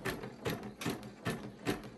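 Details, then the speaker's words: Husqvarna Viking Jade 35 embroidery machine after oiling: steady, even stitching rhythm of about two and a half strokes a second; the earlier squeaking is gone, running smoothly. "Sounds much better. Like, there's no more squeaking or anything."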